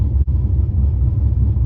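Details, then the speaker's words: 2004 Pontiac GTO, LS1 with a big cam and ported 706 heads, 4L60E, 4200 stall converter. A deep, choppy, loping V8 idle likened to the intro of Hot for Teacher; the normal cammed idle for this setup. "sounds like we're listening to the intro to Hot for Teacher all the time, and it's awesome. Who doesn't like Van Halen? Any car guy or gal knows the intro to that song because it sounds like a cammed car."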